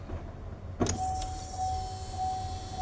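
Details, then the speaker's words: GMC Sierra V8 after replacing leaking fuel injectors under intake manifold for misfire, key-on test: click then two-second steady electric hum as in-tank pump primes; fuel pump priming at key-on. "الطرمبه الطرمبه اللي في التنك ضخت للطرمبه دي تمام"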